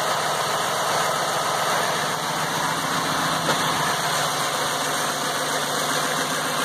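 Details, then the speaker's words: Ford F550 6.8 V10 after replacing a fouled spark plug, briefly run without coolant: even, unbroken idle with no skips or stumbles, oiling well; misfire fixed, normal idle. "oiling well no Miss at all I'm have to tell you that's what it was is that foul plug"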